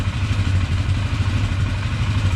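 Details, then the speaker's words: 1999 Polaris Sportsman 500 after a new fuel pump: the single cylinder thumps along at a steady low idle with no popping or misses. Earlier popping had been suspected as a head gasket, but the owner thinks the bad fuel pump caused it. "I think that fuel pump was causing a lot of it sitting here idle and nice"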